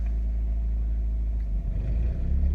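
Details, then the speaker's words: Van-life generator powering the air conditioner in hot weather: low steady drone swelling and speeding up as the A/C load kicks back in, governor responds smoothly; quiet enough to talk over, healthy running. "It's not that loud at all. It's very pleasant. I mean, you could talk right around it."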